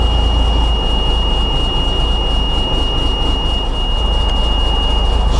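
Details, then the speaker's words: Cummins NHC 250 truck diesel, cold idle just after start with new pre-oiler giving immediate oil pressure: deep steady rumble, slightly uneven but no stumbling; normal cold idle. "cold and unhappy but she's running"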